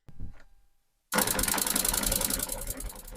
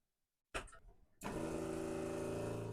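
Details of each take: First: Jabsco fresh water pump with no accumulator, tap opened a little then a lot: harsh uneven clatter and banging, three to four bursts a second, as the pump rapidly cycles on and off; likely harmful to the pump. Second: Jabsco fresh water pump after fitting an accumulator tank and mounting on neoprene foam, tap run normally then at a trickle: brief clatter, then steady even hum with no judder; now smooth and quiet.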